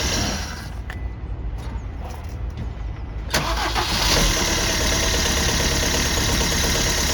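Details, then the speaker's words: Peugeot Bipper Tepee automatic bought at auction: a few clicks, then the starter catches and the engine settles into an uneven, lumpy, wavering idle; rough running engine. "What's that noise? Turn it on, start it again, Joe. Sounds a bit ropey."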